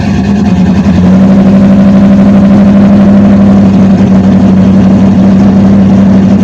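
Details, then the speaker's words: Cammed GMH 5-litre V8 with Fitech fuel injection and extractors, never properly tuned, before tune: deep lumpy burble with lazy loping cam beat, steady pitch; running way too rich despite fuel being pulled via keypad. "It's never been tuned properly on this, so it's still way too rich."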